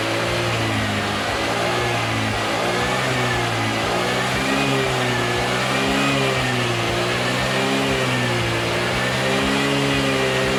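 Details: Honda Vario (old model) scooter engine revving up and down smoothly with no knocks, misses or rattles; charging system restored to normal.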